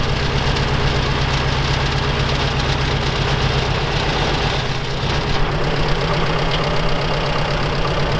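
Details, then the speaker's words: Soviet UAZ 469 four-cylinder, carbureted, unstarted for over a month, just primed: a rough, lumpy idle with an uneven low chuffing beat. A misfire with two cylinders dead. "okay so it does fire up but it doesn't sound like we're running on all four foreign works that works and the other one is not doing anything nope man I won't stop doing anything okay so we're only running on two right now"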